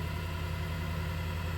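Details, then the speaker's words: WEN 3420 variable-speed 8x12 mini wood lathe, first start-up, speed being raised: low, steady motor hum with no wobble, knocking or rubbing; no vibration felt, running smooth and healthy. "Seems to be smooth. Seems like there's no vibration felt at this point."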